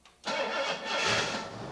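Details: Engine with newly installed Autolite 4100 carburetor, first start after cranking 5-6 seconds and pumping the throttle to prime via the accelerator pump: brief crank, then catches cleanly and settles into a steady, even run with no misfire or stumble.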